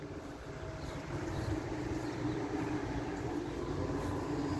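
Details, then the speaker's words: Air conditioner in a garage, reciprocating compressor just kicked on, apparently on low fan. A smooth, even low hum with a steady compressor drone and a barely audible fan: running normally. "and that's running I think it's on low fan because it can I can't really hear the fan on it"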